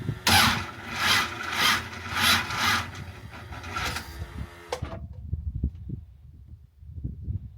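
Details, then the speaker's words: Ultima GTR kit car, V8 in neutral, started while checking an A/C compressor clutch pulley rattle: fires with loud, uneven surges about every half second for four seconds, then cuts out; abnormal start-up noise, cause unknown. "It's just that noise when it starts is just not good."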